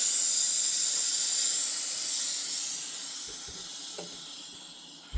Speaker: Now, this is also going to release air, but he's actually designed for the moisture and water, basically.